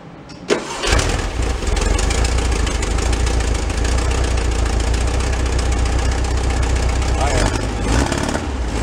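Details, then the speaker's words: Kit Amante GT kit car engine, four-cylinder, from a barn find that sat 44 years: after a bad spark plug was replaced, it catches after a short crank and settles into a smooth, steady idle; the earlier skip is gone. "That was it. Bad plug. Bounce on all four. Smooth too. Nice and steady."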